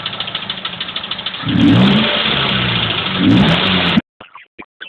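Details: Mazda 3 engine with a light, fast ticking of about ten clicks a second at idle, then buried under the revs; cause not pinned down.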